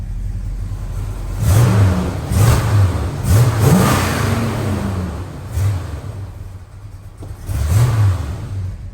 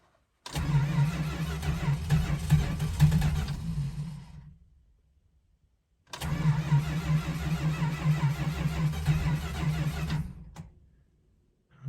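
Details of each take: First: 1971 Dodge Charger R/T 440 big-block V8, warm after its cold start. A deep burbling idle with several quick throttle blips, pulling up cleanly and dropping back with no misfire or popping. Normal revving exhaust note. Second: 1971 Dodge Charger R/T with 440 engine, cold start after sitting four months, chilly, heavy oil, carburetor needing a rebuild: two long cranking bursts of about four seconds each, uneven churn, no catch; engine loaded up. Cranks but no start, flooded carburetor.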